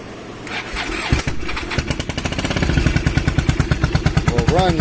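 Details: Suzuki Marauder VZ800 V-twin after stator and rectifier replacement, restarted to check battery charging: starter spins briefly, engine catches and settles into an even, lumpy idle about three beats a second; starting and running normally.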